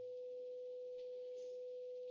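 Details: Graetz Comedia 616 tube radio after capacitor replacement, first power-up: 500 Hz generator tone fed via 1 µF capacitor into power amp tube plays clean and even, no buzz, crackle or hum; undistorted output.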